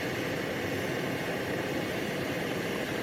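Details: 1952 Rogers-built Coleman-design M-1950 military gasoline stove, fuel cap gasket and NRV pip replaced, just moved from preheat to light: steady, even rushing roar with no sputter or pulsing; burning cleanly, normal.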